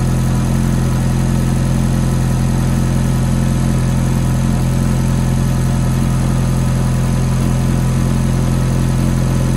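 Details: Ferrari F430 V8 at cold start idle: loud steady idle with a quick light tick on top, about two to three per second; source of tick unconfirmed.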